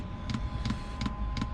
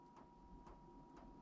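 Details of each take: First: Diesel heater in a van, just restarted: sharp double ticks just under three a second over a low hum from the fuel dosing pump, before it is insulated and suspended off the van body. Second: Van diesel heater fuel pump, suspended and wrapped in insulation, only slightly quieter, on lowest setting 1: soft even ticks about twice a second over a faint hum; normal pump pulsing.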